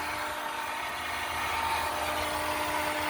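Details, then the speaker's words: 2019 Honda Civic Sport CVT, engine off: steady high whine at one pitch from under the hood, not the fan. Owner suspects the starter, relay or starter unsure; burning smell followed. "Oh, that ain't the fan. That is something else. I think that's the starter."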